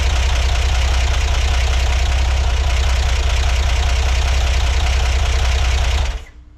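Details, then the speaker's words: 1963 Corvair at first start after months sitting, battery not charged, starting without the booster: rough, lumpy idle with a loose tapping about four times per second; the noise is uncertain, possibly valvetrain. "okay it's getting smoky in here but it does run I I feel like I might be hearing something not quite sure yet"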